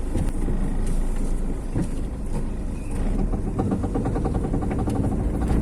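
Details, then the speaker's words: Front-wheel-drive car driven with steering turned to each side: quick run of clicks over low engine and tyre rumble while turning; worn axle CV joint, fault on the wheel opposite the turn direction. "ഇനി നമുക്ക് just വാഹനം രണ്ട് സൈഡിലേക്ക് നമ്മൾ ഒടിച്ചു നോക്കി കഴിഞ്ഞാൽ ഏത് സൈഡ് ഒടിക്കുമ്പോഴാണ് സൗണ്ട്, അതിന്റെ ഓപ്പോസിറ്റ് വീൽ സൈഡാണ് ഇതിന്റെ ആക്സിലിന്റെ കംപ്ലൈന്റ്."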